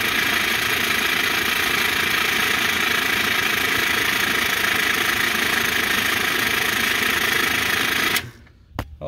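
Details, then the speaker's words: PBL Industries FP12 fuel pump on a Weekend Warrior LE3305 trailer fuel station after gear repair, heard from underneath while pumping gas: steady, even high whir, no grinding, knocking or stalling, then clean cutoff; normal fuel pump running. "i mean it sounds okay so let me get a quarter of a tank in there i mean it sounds like it's pumping fine"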